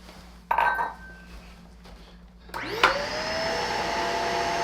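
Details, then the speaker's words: Shark vacuum after two cups of baking soda picked up from floor: motor spins up with rising whine then holds a steady strained hum, sounding unhappy; likely powder-clogged filter loading the motor. "so oh i don't know if you can hear that but it doesn't sound particularly happy after two cups of baking soda"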